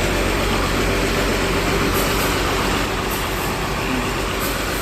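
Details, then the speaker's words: ALS 234 intercity bus still under repair: heavy diesel idles with a steady rumble, and a rough grinding grunt comes through about once a second; source still unknown. "ini ALS 234 masih reparasi ya sepertinya sudah mau jadi kayaknya tapi bunyi grok itu apa ya"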